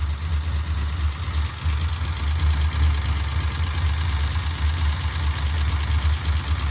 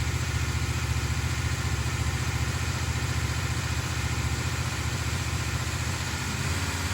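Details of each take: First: 1968 Dodge Charger 440 V8: a deep idle with quick, evenly distributed ticking chatter that appeared near the end of break-in. The valve lash was found far too loose. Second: 1968 Dodge Charger with a big-block 440, after weeks of valve train repairs: a deep, steady idle with an even exhaust beat and no top-end ticking. The valve train issues appear solved. Normal idle.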